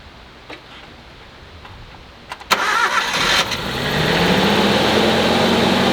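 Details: Suzuki Jimny JA12 after alternator replacement (old unit gave abnormal noise and flat battery): short crank, engine fires and settles to a steady, even idle with no whine or squeal from the charging side; sounds healthy.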